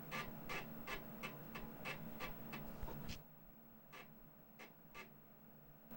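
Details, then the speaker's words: 35+-year-old Commodore Amiga 1000 floppy drive after cleaning the head with alcohol and oiling the moving parts: crisp, regular clicks and seek ticks about three a second, no grinding. It boots Kickstart and Workbench normally. "All right, so I'm able to boot completely into Workbench. The drives sound fantastic."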